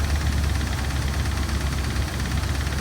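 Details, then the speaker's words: 2007 Dodge Ram 1500 Hemi, replacement engine with 68,000 miles fitted three months ago: heavy low rumbling idle with a dull knock deep in the block; technician says bottom end, rod bearings or crankshaft. "He said that the noise is coming from the bottom part of the engine. And he believes it's either the bearing rods or the crankshaft."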